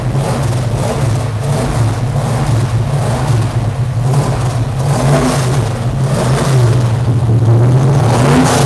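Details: V8 with two four-barrel carburetors, previously backfiring; deep lumpy burble rising and falling through throttle blips, clean pickup with no pops or bangs; normal idle and revving.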